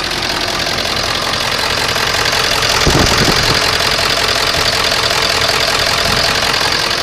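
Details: 7.3L diesel cold start, cranking longer than before, puffs of white smoke, injector-pressure-higher/lower-than-desired code; owner suspects HPOP, another suspects bad injector: loud uneven lumpy clatter at idle, rough running.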